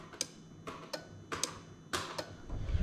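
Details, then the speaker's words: Toyota Crown 3UZ-FE VVT-i engine adapted into a Lexus IS200, warm engine: crisp, dry relay clicks as the dashboard AC button is pressed, normal ECU-controlled AC clutch relay operation. "next up we're going to go on to ac clutch so when i press the ac button on the dash you can actually hear the relay clicking"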